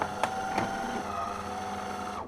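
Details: DeLonghi PrimaDonna Elite coffee machine that makes no coffee and dispenses no water: steady buzzing pump hum for about two seconds then cuts out; pump runs but draws no water.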